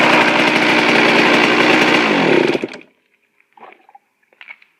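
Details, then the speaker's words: Suzuki RM 125 two-stroke, first cold start after a complete engine rebuild, carb air screw at 1.5 turns out: crisp, even idle sitting slightly high, then shut off; healthy. "perfect it's perfect um yeah that's pretty good um i don't need just to do a little bit it's a little bit high but that's good enough for me"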